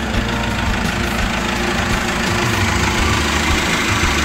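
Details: 2008 Chevrolet Captiva diesel, previously hard starting, low power, smoking, rpm capped at 3000, after full turbo and fuel path cleaning, water sensor fitted: firm, even diesel clatter at steady idle, no misfire; revs to 4000 without smoke; normal idle.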